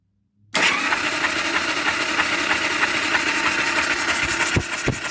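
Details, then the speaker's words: 2000 Harley-Davidson Sportster 1200C, first start attempt in 6 years after a long oil soak, spark plugs out, on a borrowed battery: fast uneven starter churn with wet oil sloshing and gurgling and no firing; oil gurgling while cranking. "i'm just going to turn the engine over here let me uh well here i'll put the camera down there you can hear this thing gurgle when it's done"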